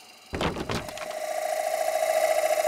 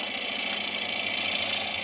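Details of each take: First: Lathe turning green Honey Locust salad bowl at 850 rpm with carbide cutter, light cut: after tool contact the cut settles into a ringing, fluttering mid tone, showing the bowl wall getting thin. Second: Green honey locust salad bowl on lathe with carbide cutter, wall getting thin: steady hissing cut with fast once-per-turn flutter as cutter grabs; lighter cut taken.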